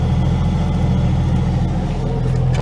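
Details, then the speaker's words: 1995 Jeep Cherokee at idle, heard faintly from under the dashboard: a steady high-pitched whine over the muffled engine rumble, which a mechanic said was probably worn alternator bearings; alternator to be replaced. "here here sounds like a sounds like a high pitch type noise hang on very faintly underneath the dashboard you can hear"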